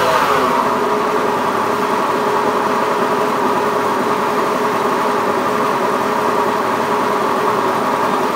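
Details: Honda Beat FI eSP eco scooter with a rough, coarse-sounding engine, cause being analysed: steady idle with a coarse, gravelly rasp and a faint hum throughout; runs rough, cause suspected but not confirmed.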